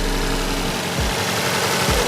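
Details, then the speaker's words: Freshly rebuilt Toyota 4A-GTE for an AE86 (new 8.9:1 OEM pistons, rings, bearings, oil pump) on first break-in run: fast light clicking over a steady idle; valvetrain tick attributed to the light break-in oil. "sounds pretty clicky because of the light oil of course but don't go away"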